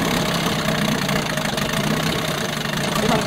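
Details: 1988 Johnson Evinrude 6 hp two-stroke outboard at low idle after idle screw adjustment: choppy, uneven running with popping and surging, barely staying alive; plugs hot and dry, suggesting it may be starving for fuel.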